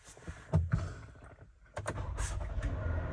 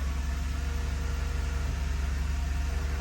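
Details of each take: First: 2013 Toyota Sienna Limited V6, idling, recorded from inside the cabin: steady drone with a faint constant whirring from the front of the engine compartment, a failing water pump bearing, replaced along with the idler pulley and serpentine belt. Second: 2013 Toyota Sienna Limited idling after replacing the water pump, idler pulley and serpentine belt: steady, even low idle hum with no chirp, squeal or rattle; noise fixed, normal idle.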